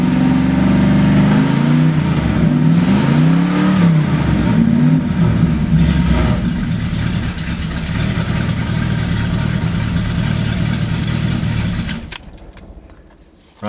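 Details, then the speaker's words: 1971 Ford Torino GT 429 Cobra Jet V8 idling and blipped: raspy, puffing edge on each rev and return to idle from leaking exhaust; no smoke, needs new exhaust. Exhaust leak. "uh the electrical works horn turn signals heater and the wipers doesn't sound too good with the exhaust leaks but we'll start it up anyway"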